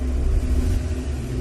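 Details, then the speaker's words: Maruti Suzuki Swift petrol/CNG with the A/C on, idling with a low, uneven, lumpy rumble and RPM hunting plus minus. It vibrates, with a pickup problem; the misfire was traced to the ignition coil, which was replaced. "गाड़ी RPM plus minus होता है, आइडलिंग में परफेक्ट चलती नहीं है और vibration hunting है।"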